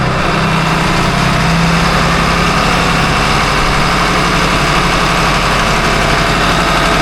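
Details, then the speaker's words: Boat diesel at about 1500 rpm after repair of a failing bearing that caused grinding and belt flaking: smooth, deep, even running with no grinding or catching; healthy. "No more noise. And that bearing when I put my hand on it and rotate it is definitely catchy like it's metal to metal. All that grinding that we were hearing and all the flaking off the belt, all that's gone."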